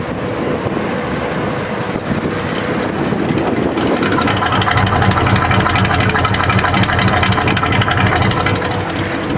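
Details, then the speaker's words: Traded-in 1983 Chevy K10 4x4 pickup, turned off and restarted to show how easily it cranks: spins over briefly, catches cleanly around four seconds and settles into a steady, even idle with no stumbling; healthy start. "We're going to turn it off, crank it back up again, show you how easy it cranks."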